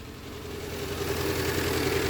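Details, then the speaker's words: 2007 Renault Clio after fixing a no-start with no module communication (ECU already swapped): fixing one little cable cured it; engine catches and settles into a smooth, even idle with steady low hum, no knocks or misses. "now i'm going to turn the key hopefully start this engine well alrighty so that's that was the problem how's that just one little cable"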